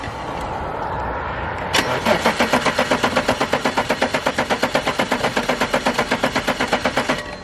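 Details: Abandoned BMW E34 535i, first start after sitting 12 years with a fresh battery: starter cranks evenly and quickly, about three turns a second for five seconds, but never catches; owner suspects no fuel delivery and plans starting fluid down the intake.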